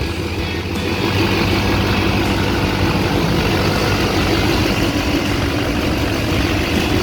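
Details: Chevrolet Duramax diesel idling after replacing both idler pulleys suspected of a humming noise: even diesel clatter with no hum or whine over it, and the accessory drive sounds quiet, so the fix appears to have worked.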